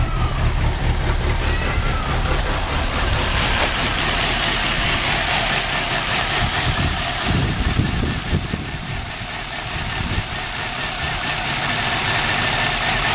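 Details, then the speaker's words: 2002 Nissan Altima with P0507 and low compression in cylinders: after replacing all four spark plugs and ignition coils, still lumpy shaky idle, smoke turning from white to black; misfire persists, low compression in cylinder three or four suspected. "as you can see it's doing again pretty much the same even with all four coils the smoke is white then this time is becoming black shakes"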